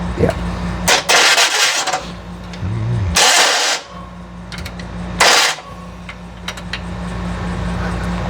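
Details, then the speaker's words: Rebuilt FC engine, first start attempts: harsh grinding rasp in short bursts at each crank over a low running hum; starter gear not meshing, later fixed by fitting a different starter and solenoid. "Your gears, sounds like you're grinding the heck out of the Yep. There. gears. Let's try back here. Sounds horrible. Starter."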